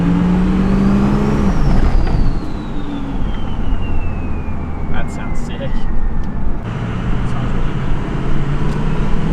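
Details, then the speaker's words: Ford 6.0 Powerstroke diesel with new compound turbo kit on road test: deep roar, high whistle sliding down as revs fall; turbos rise to an RPM and relax, about 30 psi boost versus roughly 20 stock, pulls more up top; normal boost. "When you have them compounded, it they just sound like they're just relaxing. They just come up to like a certain RPM and then they just chill."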